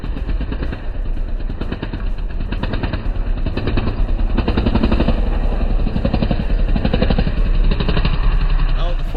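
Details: 1996 Honda TRX300EX quad after front sprocket repair, chain back on, warmed up: strong steady single-cylinder thump pulling cleanly as it rides off, no knocks or chain clatter; drive sounds sound.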